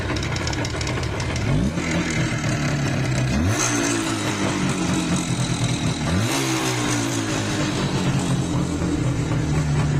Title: #иж #иж350 #звенящий юпитер 5 #иж юпитер 5 #иж стук поршней